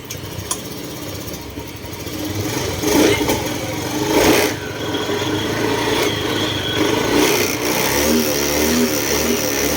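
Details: Honda Move scooter, 20,000+ km, that stalled while riding and wouldn't restart, runs steadily at idle with light throttle blips, no misfire or cutting out, after a used replacement fuel injector was fitted; spark plug already changed.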